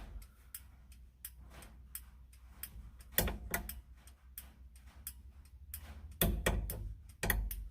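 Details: Ford GT500 after replacing the turn signal switch and the flasher can, left turn tested: crisp, regular clicking at a steady blinker pace with no skipping or speeding up; the flasher works normally.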